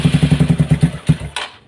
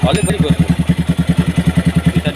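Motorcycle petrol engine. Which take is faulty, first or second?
first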